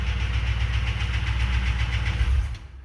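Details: Abused fuel-injected V8 from a 2007 Crown Victoria P71 swapped under a 1966 F100 body, first start after sitting: rough idle with quick uneven knocking until shutdown; owner thinks it is valvetrain, not bottom end; cause unconfirmed.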